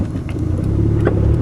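A low, even engine burble holds steady with no misses, knocks or hunting; the idle sounds good.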